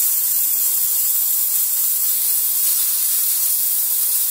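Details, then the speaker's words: Decent Espresso DE1+PRO steam wand, ready and purged before steaming milk: a strong, even, high-pitched hiss with no sputtering or pulsing, a normal full-power steam purge. "so I'm gonna have my seen button real quick you can see it's already ready to go and I'm just going to purge a little fast"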